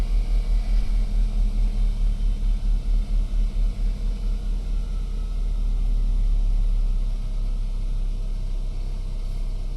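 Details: BMW E92 320i N46N petrol engine treated for a rough cold-start idle with no fault codes and no vacuum leak: low, deep idle with a slight early pulse that settles into a steady, even run; smooth cold idle.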